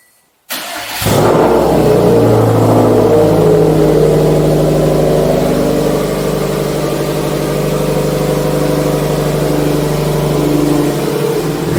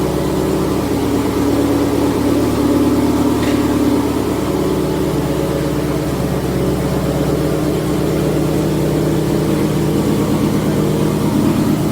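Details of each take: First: Subaru STI with Tomei exhaust, after troubleshooting an exhaust leak and fitting new gaskets, started off the lift: short crank, then a loud, deep, even exhaust rumble through the revs with no puffing or ticking; the exhaust is sealed and healthy. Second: Subaru STI with TOMEI exhaust idling: steady rumble with faint rhythmic puffing from an exhaust leak, main source a flange showing carbon deposits, a smaller leak nearby; later sealed.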